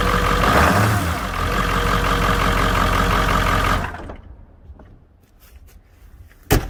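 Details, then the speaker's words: Ford 7.3 Powerstroke turbo diesel, 1997 truck with 289,000 miles, loud at idle for years: heavy, coarse steady clatter over deep rumble until shutdown; owner suspects old oil in injector reservoir making injectors noisy. "uh dude it's getting it's really loud it's been that way for years but that's that's because i didn't know this trick"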